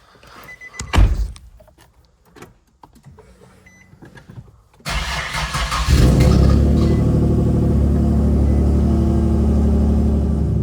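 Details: Infiniti G37 with a replacement engine after the shop supplied a bad one: a short crank, then it catches and settles into a steady, even idle with no knock or tick. The new engine sounds healthy.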